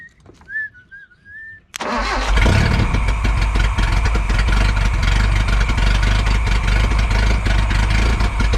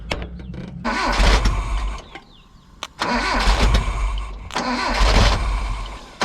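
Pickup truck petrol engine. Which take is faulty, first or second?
second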